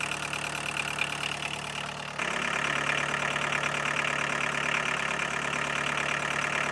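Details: 1982 VW Golf Mk1 1.6 diesel, sat 12 years, after oil, filter and coolant service: even clatter about four beats a second, settling steadily after a small step up; normal diesel idle.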